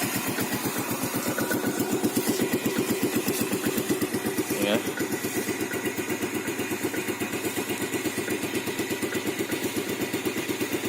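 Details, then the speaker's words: 2011 Yamaha Vega ZR carbureted spoke-wheel motorcycle, 19,739 km, on Shell Advan X7 oil, revving with a steady even beat; faint klotok-klotok ticking near the engine, possibly the tensioner, barely audible; engine judged healthy overall. "Cuma secara mesin masih bagus, kemungkinan itu di ini dekat mesin ya, lotok-lotok tensioner mungkin atau apa ya, tapi sedikit sekali suaranya, hampir tidak terdengar."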